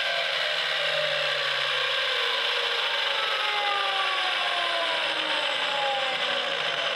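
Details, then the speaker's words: Milwaukee M18 12-inch miter saw failing: a high whine falls away as the blade coasts down slowly, with a raspy, ratcheting grind over it; something in the drive is wearing out. "so this is what it sounds like when your Milwaukee M18 mitera is dying a slow"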